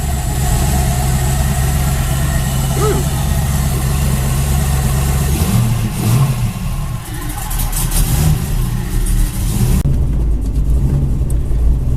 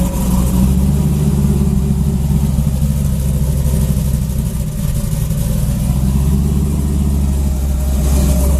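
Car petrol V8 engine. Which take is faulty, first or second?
first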